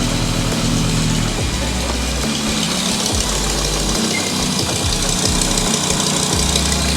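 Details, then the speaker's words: BMW E31 S85 V10 swap, just started after ten years once constant fuel pressure supplied: uneven, lumpy, wavering low idle rumble; owner says sound not very good, cause unknown, throttle pedal not working, no major oil leaks. "it's running it's running now it's gonna get hot how's the sound no not very good we don't know that yet but it's running it's idling no crazy oil leaks"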